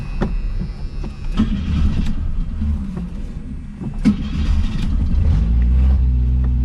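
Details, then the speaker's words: 1981 AMC Spirit four-cylinder, about 42,000 miles, from long barn storage: uneven cranking with sputters and half-catches building toward a rough run; not getting gas, tank refilled with new gas, owner suspects it needs an accelerator pump. "all right well so the situation is we're not getting gas [Music] does run well it might need an accelerator pump so we're gonna try to get it going"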